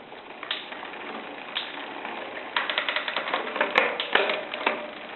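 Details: Shimano Zee RD-M640 rear derailleur with the clutch on: dry, irregular creaks and clicks while shifting. Clutch creak; the fix is cleaning and regreasing, or replacing the clutch part if that fails.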